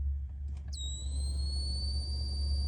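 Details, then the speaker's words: Honda Element blower on fan speed one: high steady electronic whistle like AM static over low fan hum, changing with speed, gone on high; persisted after aftermarket blower motor swap, caused by faulty blower speed transistor. "sounds kind of like a frequency sound I go to two changes as you modulate the [Music] fan take us to high and on high it goes away"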